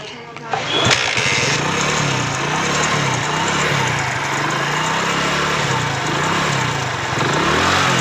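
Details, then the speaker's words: Hero Splendor Pro motorcycle at idle: engine catches and settles into a slightly wavering idle with a faint rattle from the magneto side, later traced to a broken magneto plate; ridden despite the noise. "तो जैसे कि दोस्तों आपने सुना इसके magnet side से आवाज आ रहा है और हमें लगता है दोस्तों इसके मैग्नेट साइड में ही कुछ प्रॉब्लम हो सकता है"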